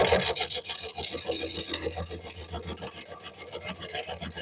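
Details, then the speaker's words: Lathe turning a cracked cork oak bowl through hardwood and bark. Sharp, rapid clacks, about three or four a second, sound on each pass over the same hard spot as the tool catches on the irregular wood. "I'm hearing that every single time I go through there."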